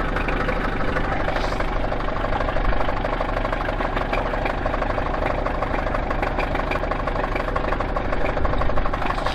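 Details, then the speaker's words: Toyota Celica petrol engine just started, idling with a steady, hollow knock about three times a second from a worn rod bearing. "Ale panele słychać. Tak tu stuka."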